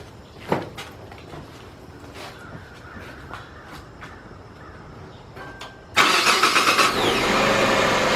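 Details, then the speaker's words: 2005 Hyundai XG350L V6 with check engine light and codes P0350, P0300, P0302 and P0305: after start-up it settles into an uneven, lumpy idle with a recurring stumble. Codes show two cylinders misfiring, but it sounds like one. "As you can see, it does have a rough idle. Now, according to the codes, I'm showing 2 cylinders on a misfire, but it just sounds like one."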